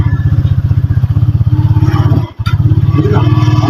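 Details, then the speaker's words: Euro 150 motorcycle with primary-type stator, stator and spark plug already replaced: engine thumps at idle, briefly cuts out and catches, hard starting and stalls when clutch released; weak spark from a burnt ignition lead. "namamatay p ganon sig nga Ayon so hard starting pag binibitaw yung clutch k namamatay"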